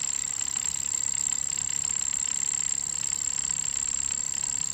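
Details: Bambu A1 mini 3D printer not printing, with a thin steady high buzz, a fast regular ticking pulse and no print movement heard; abnormal buzzing noise, cause and fix unknown.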